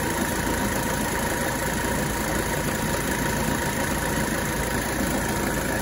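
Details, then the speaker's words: 1985 Mercedes 300TD diesel at idle while charging the AC, sight glass still showing some air: faint constant whine over the idle; AC compressor sounds like it's self-destructing, owner fears it may lock up. "this compressor is sounds like it's self-destructing not sounding too healthy"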